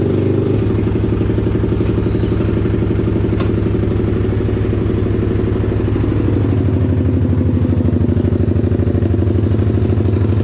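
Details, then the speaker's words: Pitster Pro X4 pit bike with a new Daytona Piranha 190 engine, first start, still cold and unchoked: steady, even firing at a brisk idle with no misses, knocks or rattles; healthy, though the carb still needs tuning. "runs like a jam yeah buddy still a little cold and unchoked but she sounds good"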